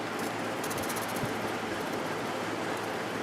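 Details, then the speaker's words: Emerson Quiet Kool 6300 BTU air conditioner with replacement GE fan motor, original capacitor reconnected: soft even airy rush, faint low hum, no rattles or scraping; fan runs quietly, slight fan-speed difference between settings. "there's a little bit of a difference in fan speed now so that's good let's start up on high nice and quiet"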